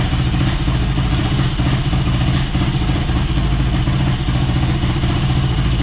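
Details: Yamaha YFZ450 (about 2006) on a stand with new fuel line, tank on reserve: steady thumping idle, even rhythm, no knocks or misses; runs fine, airbox still off for tuning, fuel valve leaking.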